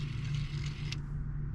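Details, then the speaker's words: Audi B8/B8.5 rear electric parking brake motor during a brake pad job, retracted without a scan tool: a steady low hum with a light creaking whirr as it slowly winds the piston back, then stops completely once fully retracted; normal retraction. "you can hear it slowly taking it back you won't be able to see it but once you but after it's all the way back you'll hear it stop completely it has a little like d to it"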